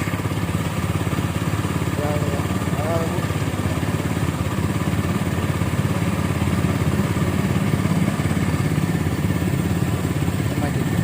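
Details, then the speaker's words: Minerva R150 SE 150cc motorcycle during ignition and charging check: even, quick putter holding steady at idle with no misfires or rattles, starts quickly; normal idle. "Wow, bagus sekali. Suaranya bagus."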